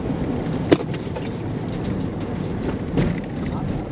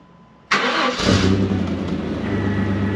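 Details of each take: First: Chevy S10 with a 4.3 Vortec, during an autocross run: engine pulling hard under road noise with sharp pops cracking through; misfire because the distributor top plate failed and was slipping, and the distributor was then replaced. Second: Chevy S10 4.3 Vortec first start after a failed distributor was replaced: quick crank, catches in half a second and settles into a smooth, even idle with no popping or spitting; runs healthy.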